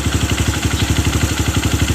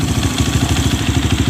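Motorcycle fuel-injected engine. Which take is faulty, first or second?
first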